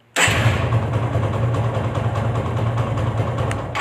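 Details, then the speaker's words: TVS Apache engine after home engine rebuild, restarted: quick start settling into steady low hum, no rattle or grinding; old noise gone, expected to free up further with running, normal idle. "आवाज भी यह सवा 6 हम परेशान थे वह आवाज भी खत्म हो गई और अभी कुछ दिन और चलेगी यह तो उसके बाद में और फ्री होगी"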